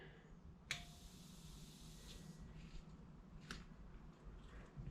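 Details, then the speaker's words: Kawasaki Ninja 500R oil pressure switch bench-tested with about 50 psi of air (bike had an oil light on): one sharp click when pressure goes on and another a few seconds later; switch operating normally. "When I first apply pressure, I can hear it click. That's pretty neat. Cool, so I know the sensor works."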